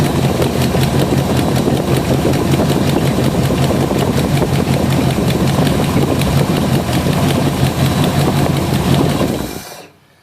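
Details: Classic V8 fitted with a Nippondenso alternator and external Ford Motorcraft regulator: steady, even idle with a deep, smooth burble and no knocks or misses until shutdown; engine running healthy and charging.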